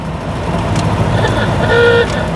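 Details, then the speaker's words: 1932 Austin Heavy 12/4 Windsor, driving: over steady engine and road rumble, one brief loud rasping claxon horn blast of about a third of a second; horn works normally. "oh yeah proper claxon nice"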